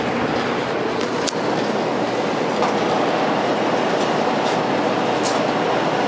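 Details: New Kenmore 800 gas dryer just installed with gas hooked up and burner lit, running very quiet; steady even rushing roar with soft tumbling rhythm, no scraping or squeal, normal running.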